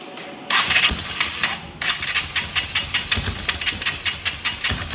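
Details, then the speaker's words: Honda XR 150L motorcycle consuming oil, noise began after riding 22 km; oil found burnt and poor quality under the head: after start, sharp regular tapping rattles steadily over idle from the top end, piston slap. "Bueno muchachos, esa XR nos acaba de llegar, así como la acabo de ver el video, tiene un sonido extraño, un ruido que es producido por la cabeza de fuerza."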